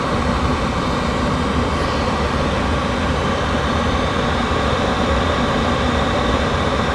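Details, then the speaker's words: 8kW Chinese diesel caravan heater in a van during a Minnesota cold spell, on its first main run at high speed the day after install; glow filament fully hot, slight factory burn-off smell; loud, smooth, even air rush with no knocks or rattles, normal high-speed fan run. "this is this is like the first main run i've had it at high speeds so you can see"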